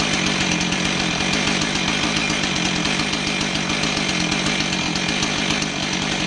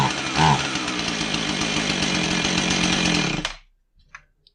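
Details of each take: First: Husqvarna 445 chainsaw that bogged and wouldn't rev, after cleaning plugged low-speed carb circuit (likely old fuel) with carb cleaner, low-speed screw out 1¾ turns: crisp high buzzing two-stroke note holding steady at high revs, no bogging; fixed. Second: Husqvarna 445 chainsaw with a bogging complaint, test run after fitting new carburetor gaskets; runs rough and uneven, never clears up, then dies quickly, bogging from a plugged low-speed carburetor circuit, low-speed jet set at 2¼ turns.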